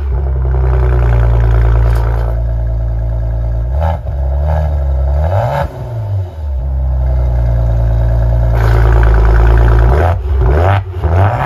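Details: Maserati Ghibli: deep, even exhaust drone rising and falling smoothly with several throttle blips, no rattle.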